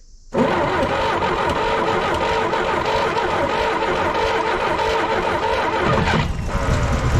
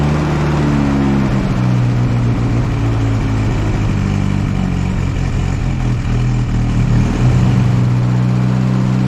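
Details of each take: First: 1964 Jeep CJ5 barn find with previously stuck engine, just after cleaning oxidized points to restore spark: engine fires and runs about six seconds, longest run yet, then sags, stumbles and stalls; cause unclear. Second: 1964 Jeep CJ5, one-owner barn find with a previously locked-up engine, revived and running: smooth, steady note that rises briefly with a rev and settles back, firing evenly with no knocks; some exhaust smoke expected to clear. Normal running.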